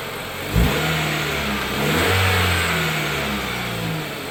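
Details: 2013 Dodge Dart after replacing the passenger-side engine mount with a cheap $50 aftermarket one (old mount sagged over an inch, causing vibration): engine revs up and settles evenly, no clunk or knock; 100% improvement.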